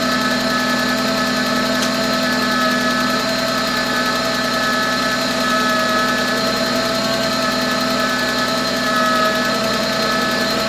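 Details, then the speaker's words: VW B5 idling on first start after sitting 1.5 years, oil primed first: thin whine from the squealy power steering pump over a faint light tick, suspected sticky lifter from storage; not confirmed. "anyone familiar with cars or volkswagens from this generation has that squealy power steering pump that i forgot about oh no there's no tension on the ground so you won't hear it but you can hear it uh sounds like clearly a sticky lifter from not running in a year and a half"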